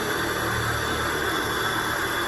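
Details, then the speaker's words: Peugeot 306 at idle with AC switched on: constant whirring hum with a rough gritty rumble from the AC compressor; worn compressor bearing, to be replaced. "Ini kompresornya bunyi nih, nanti diganti laharnya, lahar kompresor."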